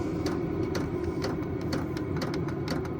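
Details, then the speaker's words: VEVOR 8 kW all-in-one diesel air heater, running a few minutes on 20° outside air, turned down on its 1–10 setting: the fuel pump slows to soft clicks about twice a second over a steady fan hum; normal fuel pump ticking at low setting. "you hear the fuel pump slow down as you as you turn it down basically it goes from 1 to 10 so you can hear how much slower it"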